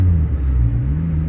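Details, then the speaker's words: Turbo Integra with fully built B18C motor, driving after the clutch master cylinder fix that made it drivable again: steady, even engine drone with a smooth low rumble under light load, no knocks or misses; sounds normal. "I couldn't drive it at all. But now it's I mean it sounds like a normal car. You'd never think it has a fully built motor in here."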